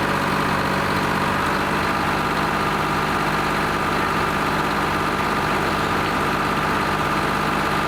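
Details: Lima 34 shovel, just started after a round of repairs, before greasing and digging: steady, even low rumble with a fast regular clatter and no misses or knocks; two-stroke diesel idling cleanly, normal idle.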